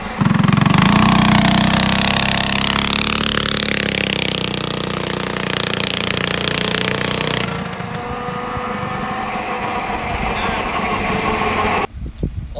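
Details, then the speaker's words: Yerf Dog go-kart after swapping the Tecumseh for a Predator 212 with a stage 1 kit and the governor lost: loud, raspy single-cylinder revving hard with a fast, slightly choppy dirt-bike note, running cleanly and healthy. "Oh sounds pretty good that sounds you slappy it sounds like a dirt bike"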